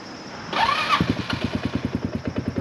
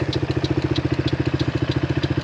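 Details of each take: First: Hammerhead 250cc go-kart on a weak battery: after a whirring start attempt the engine catches and chugs unevenly at about three beats a second, then dies instead of idling. Rough running, will not idle; owner thinks it needs a carb clean. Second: Hammerhead 250cc go-kart engine idling with an even, steady putter of about twelve firings a second, no misses or stumbles; runs pretty well and not rough, normal idle, though the owner still plans to clean the carburetor.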